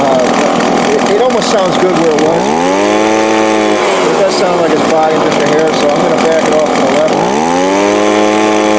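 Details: Two-stroke small engine, Walbro/Zama-type carb after needle adjustment to fix a full-throttle bog: crisp revs cleanly to full throttle twice, holding a steady high scream with no bogging or stumble; healthy.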